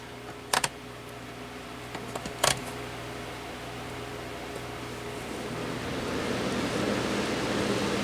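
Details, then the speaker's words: Holmes HAWF2044 twin window fan after cleaning and service, test run on intake: a few handling clicks, then a smooth air rush builds as the blades spin up, no rattle or scrape, moving more air than before; normal. "a lot better than it did before. And it's definitely moving more air"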